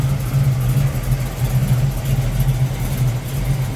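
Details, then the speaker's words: 1972 Chevrolet Camaro SS with rebuilt 350 V8, Edelbrock Performer and Turbo 350 automatic, at idle. Smooth, steady low V8 rumble with no knocks or misses, though a slight hum is noted; healthy. "so you can hear this thing idle oh there's a little ham in there again three-fifty has been rebuilt"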